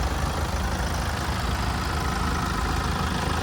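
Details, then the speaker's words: 2018 Kia Carnival S diesel, serviced at 52,000 km, heard with the bonnet open: an even, low clatter at a steady idle with no knocks, rattles or squeals; a healthy engine. "And as we listen to it ticking over, no major knocks, rattles or squeals, just that diesel motor running nicely."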